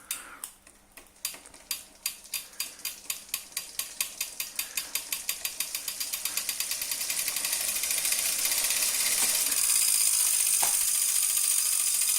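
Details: New Wahoo CORE trainer: sharp regular clicks about three a second that speed up with the flywheel into a rising whir; loud clicking noise problem.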